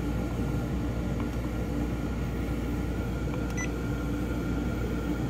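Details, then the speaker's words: Webasto FCF Platinum 16k BTU reverse-cycle marine HVAC, newly installed on a Silverton 34 Convertible replacing a late-80s or early-90s Marine Air unit; fan on high, steady even low hum of fan and compressor, no rattles, two control beeps, quieter than the old unit; normal running. "now the fan's on high right now and even with that fan on high it is still definitely quieter than the old unit so so far happy with that"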